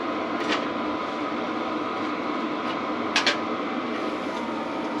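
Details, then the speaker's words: Cheap Chinese diesel heater retested with timber blocks removed: steady fan roar with faint intermittent scrape and sharp ticks; something not right, owner suspects the fan rubbing inside its housing, later raised on even blocks and exhaust re-bent for clearance. "yeah you can hear that definitely something not quite right"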